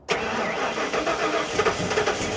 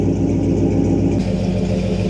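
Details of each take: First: Big-block Ford Bronco cold start, engine at 73°: about two seconds of cranking, then the V8 lazily rolls into a lumpy idle instead of catching crisply; owner suspects tuning, fuel trim or IAC. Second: Big-block Ford Bronco with newly fitted exhaust, muffler equivalent to a Flowmaster 50 series, tip turned to body line: steady deep even V8 burble at idle, mellow muffled tone, no rasp or leaks; healthy.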